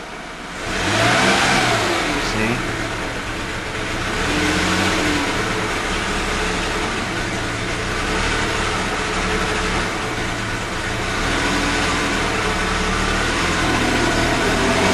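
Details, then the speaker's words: 1998 Mercedes E320, after sitting months; plugs replaced, coils swapped, MAF cleaned, scanner shows random misfire all cylinders: revs up unevenly, stumbling, won't pass 3,000 rpm; misfire and bogging, owner suspects plugged cats, cause unknown. "now some reason it won't go past 3,00 without misfire"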